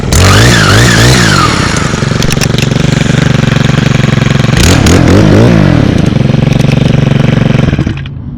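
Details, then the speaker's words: Brand-new 2024 Stihl KM111R combi power head, 31cc 4-Mix, with trimmer attachment; started right up, crisp steady high-rpm buzz with quick throttle blips, running clean and even at full throttle; normal, powerful running. "Started right up, just like the 91. These 4-mixes always start right up. Always. Hear the power."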